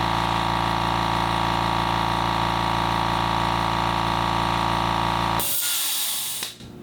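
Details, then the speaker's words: Fortress 6-gallon air compressor on a table, phone decibel meter between compressors (background about 36–37 dB): steady, even motor drone at constant pitch for five seconds, then shutoff; normal healthy running. "Now we're going to do the Fortress, the 6-gallon compressor, turn it on, and see what the rating goes to."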